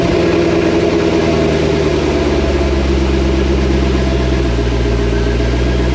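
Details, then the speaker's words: C6 Corvette V8 cold start after a week sitting, following repair of a bad misfire with arcing and sparking by new coil pack wires; steady deep smooth idle, no stumbles or pops, issue appears resolved. "so let's get a good cold start on this thing. Make sure we've actually resolved the issue. Make sure we don't have any more arcing and sparking"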